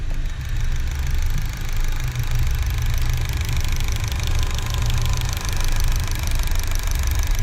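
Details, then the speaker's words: Car on 5th-generation CNG system, switching from gasoline to CNG at idle: fast light sewing-machine ticking over steady idle; CNG injector rail knocking from worn injector pistons, absent on gasoline. "e agora vou explicar para você é e ele vai passar para o gnv e você já vai ouvir o barulho"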